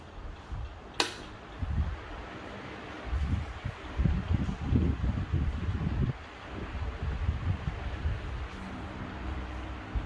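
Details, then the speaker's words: Table/stand fan after service (shaft sanded, re-oiled and re-greased, new capacitor fitted), reassembled with blades and cover: quiet, low, even hum with a soft click as the motor starts and runs smoothly on speed 1; normal. "So the blades is a bit heavier. Let's see if it starts at number 1. Yes, it does."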